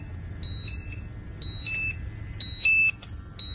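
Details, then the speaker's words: Air quality monitor with sampling tube at the corner of the mouth under a mask: two-tone electronic chirps about once a second over low rumble; low-oxygen alarm as oxygen falls from about 20.5% to 17.4%, hazardous atmosphere. "you can hear the alarm going off that means that there is a hazardous atmosphere"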